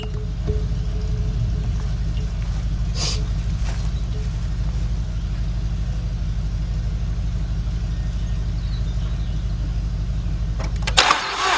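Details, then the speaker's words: 2006 Mazda 6 from auction, cranks but won't start: even, fast cranking with no firing during compression test; no compression on the front three cylinders, timing chain felt moving, suspected jumped chain. "I got nothing I got no compression out of these front three cylinders and actually I as I said I felt that felt that thing move that chain move this sucks man this really sucks"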